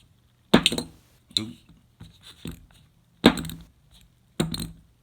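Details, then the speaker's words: Gerber Kettlebell knife shaken by hand: sharp, clicky rattles in quick bursts because the blade has play and rattles loose in the handle, a build-quality fault. "thing rattles and unbelievable you know it's just it's just really sad"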